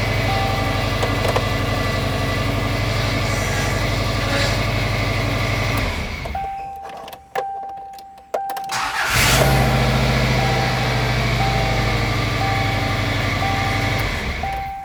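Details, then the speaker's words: 24-year-old Subaru Outback after new timing tensioner fitted and fuel lines corrected: engine starts and settles into a steady, even idle with no misfire; power steering pump whines; engine running great. "Engine's running great."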